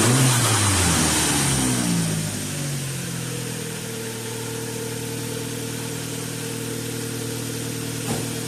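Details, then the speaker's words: 2013 Dodge Dart 1.4L MultiAir turbo, manual, first start after timing belt replacement: revs drop back to a smooth, steady idle with an even hum and no ticking or knocking, sounding pretty good. Normal idle. "See how many oil leaks we got. That sounds pretty good."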